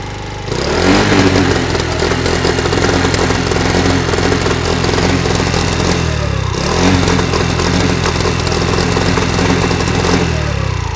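Small two-stroke buzzes and revs up and down with occasional sharp pops through the exhaust: backfiring, cause not yet pinned down.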